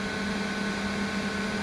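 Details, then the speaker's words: 1200 W inverter pushed to about 1292 W load: its cooling fan kicks on, giving a steady, even hum with a constant low tone and a soft airy rush. The fan is running normally under heavy load. "we're still at 12 92 this is a 1200 watt inverter okay the fan just kicked on"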